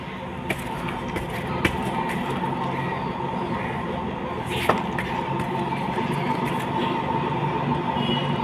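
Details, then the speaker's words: Tata Zest with the rear lifted and the wheel spun by hand: a steady droning hum under a few stray clicks, matching the humming heard from the rear while driving under load; worn rear wheel bearing. "നമ്മളിപ്പോൾ പൊക്കി നോക്കിയാണ് നമ്മൾ വണ്ടി ഓടിച്ച് നോക്കുമ്പോൾ back സൈഡിൽ നിന്നുള്ള മൂളിച്ചയാണ് കേൾക്കുന്നത്. അപ്പോൾ ഇത് നമുക്കൊന്ന് കറക്കി നോക്കാം. അതിൻ്റെ മൂളിച്ച എങ്ങനെയാണ്. നല്ല രീതിയിലുള്ള ഊന്നുള്ള ബെയറിംഗ് സൗണ്ട് ആയിരിക്കും ഇതിന് കേൾക്കുന്നത്."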